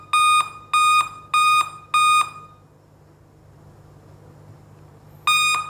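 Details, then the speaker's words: Dell laptop beeping continuously even after the system has powered on: four even high beeps about twice a second, a pause, then repeating; fault traced to the CMOS cell battery. "यह देखिए guys जैसे system on हो गया है उसके बाद भी य वॉइस लगातार आ रही है"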